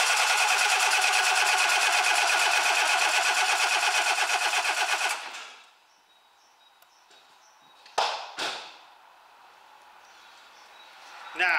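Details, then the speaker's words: Relative compression test with a scope and amp clamp. Steady, evenly spaced cranking beats with no weak or skipped stroke. The engine is judged good, with nothing wrong with its compression. "this engine is a good engine uh there's nothing wrong with the compress"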